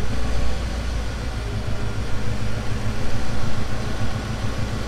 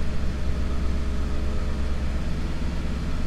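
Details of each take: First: 1990 Mercedes C126 560 SEC, Euro-spec AMG car, long-sitting: idle rises and falls in slow waves (surging) after an idle fix, then corrects itself; owner suspects a sticking injector and hopes cleaning the injectors and driving will fix it. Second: 1990 Mercedes C126 560 SEC, Euro-spec AMG car, after cleaning and freeing a sticking idle part: a steady, even low rumble, idling slightly high around 1000 rpm while cold, no misses or knocks.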